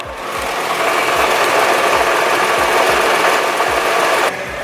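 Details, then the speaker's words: Nissan GT-R R35 at warm idle: light quick rattle and low thump about four times a second from the bell housing; considered a normal transmission quirk. "so actually as the car has warmed up you can hear the bell housing a little bit better definitely sounds pretty weird"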